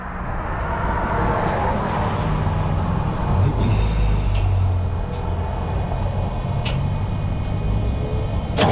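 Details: Freightliner heavy-duty truck, broken down in turn lane: long uneven cranking with pedal held to floor that never catches into a steady run; fuel starved with air still in the lines.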